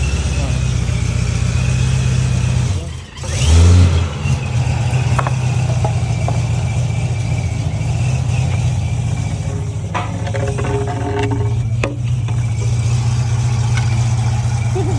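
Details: C6 Corvette first start after it cranked but would not start: an injector had stuck open, putting fuel in the oil, so all injectors were replaced and the oil changed. A strong, even low rumble with steady firing and no knocks, misses or ticks; it runs normally.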